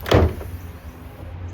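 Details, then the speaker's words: Mazda RX7 FC: one dull thud as the hatch shuts, then quiet; the rear spoiler hits the roof wing, which sits slightly closer on one side. "So, that noise you heard is the rear spoiler hitting the roof."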